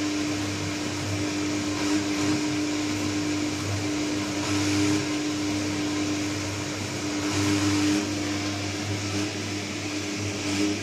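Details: New Candy Trio 9501/1X running loud: a steady low hum with a pronounced tone and boomy resonance, plus airy whooshing. Cause not clear.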